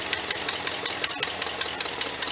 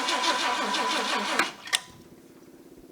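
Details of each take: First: 390 V8 after sealing the carburetor vacuum leak, warming up, oil pressure about 52–55 psi, temperature 180: fast even ticking over a steady idle, no misses; some blow-by still seen. Normal idle. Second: Cobbled-together Ford 390 V8 in project car, first start after reassembly with electric choke and a couple of accelerator pump shots: catches in loud bursts then lumpy uneven idle; massive vacuum leak at carburetor spacer, exhaust manifold leak also suspected.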